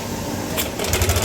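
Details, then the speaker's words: Yamaha All New NMAX 155 at idle: fast, light, rhythmic sewing-machine clatter from a slack cam chain caused by a failing cam chain tensioner, whose spring typically breaks or slips off its seat; replacing the tensioner is advised. "Sehingga ketika motor dilakukan stasioner itu atau misalkan dinyalakan, kondisi si cam chainnya itu berkendor lah ya, jadi nyiprat seperti itu. Dia bunyinya seperti suara mesin jahit."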